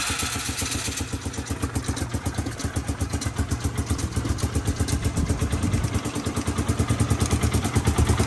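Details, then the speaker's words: Polaris Sportsman 500 engine in a golf cart, choke cable stuck, no full exhaust system, pumping out old water-contaminated gas: steady single-cylinder thumping at fast idle with loud open exhaust, building slightly; runs normally. "yeah she runs so we're going to run it and we're going to dump all it's going to pump all this water gas out of that"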